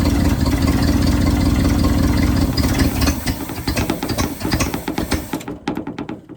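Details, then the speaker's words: 1971 Ford bumpside wrecker truck V8 after a fuel pump change runs lumpy with beats dropping out, then sputters in uneven puffs and dies; ignition misfire, cause unconfirmed. "and now we have a ignition misfire proper technical term for that I guess"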